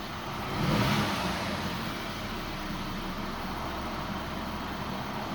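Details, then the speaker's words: Audi A4 B8 1.8 TFSI after PCV valve replacement with a revised part; before, it had a torn valve, rough hunting idle, high oil use and a lean or cylinder-1 misfire fault. Now an even, steady idle with a smooth hum and no shudder, so normal idle. "So now there's no noticeable shudder on the revs or on the engine that I can"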